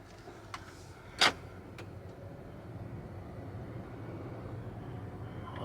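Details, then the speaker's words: 2018 Acura TLX at about 169,914, test drive after rear hub bearing replacement: low, even road hum with no growl rising with speed; sounds and feels ten times better, bearing now quiet. "these lights should go away by themselves already sounds feels ten times better it's like night and day"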